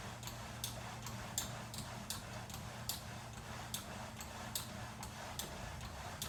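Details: VersaClimber, second unit sent after the first squeaked loudly: quiet hum with a sharp high squeak-tick on every stroke, about eighty per minute, from the moving frame; cause unknown.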